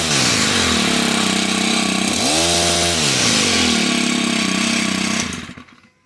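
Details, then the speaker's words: Stihl HT101 pole saw two-stroke after fixing no-start by tightening a loose part, full throttle with choke: screams at high revs, dips once and recovers, then shuts off; runs strong and clean. "works perfect no problem at all"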